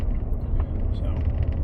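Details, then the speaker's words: Road test after hub bearing replacement: only smooth, even road rumble at cruising speed, no growl; quiet wheel bearing, earlier growling attributed to the old hub bearing. "as you can hear there's no noise so I guess all that growling noise since I didn't see any witness marks from the rotor hitting anything all that noise had to be just from the hub bearing itself"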